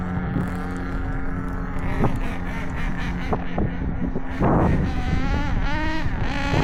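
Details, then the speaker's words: Traxxas 4-Tec with a new OS 21 nitro engine on first start and break-in, crankshaft bearings fitted by hand: a high, steady buzz whose pitch swings with throttle blips. Runs clean with no misses. "yeah that sounds good how's that"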